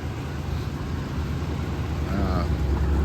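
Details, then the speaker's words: 1990 Oldsmobile Custom Cruiser station wagon, cold start after sitting about a month, idling indoors on the choke after head gasket and exhaust leak repairs. Low, steady, even rumble with no knocks or misses. Normal cold idle. "I'm not going to idle it too long here I'm going to pull it out in a minute just so the house doesn't fill up with exhaust but uh you know that's it idling right there on uh with the choke"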